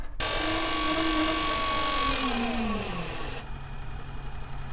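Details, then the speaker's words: Boat's domestic water supply pump, a Marco bronze gear pump, running taps after bleeding through the Allen-screw bleed screw: a steady whine that wavers and sags in pitch, then drops away. The pump's monitoring reports air entering the pump. "It seems to be taking a lot of bleeding. The pump's monitoring has told me there's a problem. There's air coming into the pump."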